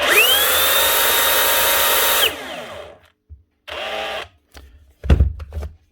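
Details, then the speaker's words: Dewalt cordless SDS drill on trigger test: shrill whine climbs fast and holds far above normal speed, then cuts out; motor overspeeding, controller problem suspected, not confirmed. "Something badly wrong there. That's running way too fast."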